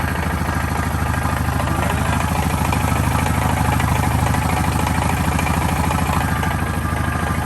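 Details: 2013 Honda Foreman 500 at idle: steady idle with a regular ticking knock over the engine; mystery engine noise, source not identified.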